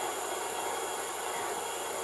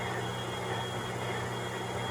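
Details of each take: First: MTH #57 Propane Turbine (Proto 2.0, 2001) model locomotive with two smoke units: steady high hissing whir with a thin constant tone; the working rear smoke unit's fan motor is the noisy part, later replaced. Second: MTH #57 Propane Turbine model locomotive (Proto 2.0, 2001) after replacing the noisy rear smoke motor and restoring the front smoke unit: smooth, even hum with a faint tone, no rattle or grind; normal smoke unit operation.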